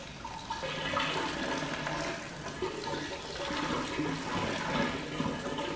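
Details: Flooded 2018 Audi RS3 engine, not running, during teardown: a steady gush of roughly 25–30 litres of floodwater splashes out of the intake tract near the turbo; intake full of water.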